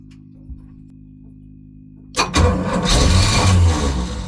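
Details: Volvo Penta 454ci V8 boat engine, first start after fitting a new HEI distributor with the rotor not lined up to the old mark: slow labouring crank, catches hard, runs rough and lumpy; ignition timing over-advanced.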